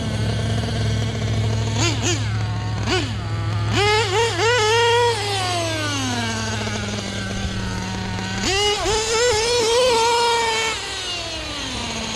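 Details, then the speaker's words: Nitro RC truck (LST, replacement engine) after a homemade carb rebuild, previously died whenever the glow igniter was removed: high buzzing engine flares and sags unevenly on throttle blips, hanging high and sharp; running super lean at the bottom end. "You can tell she's just running super lean, at least on the bottom end."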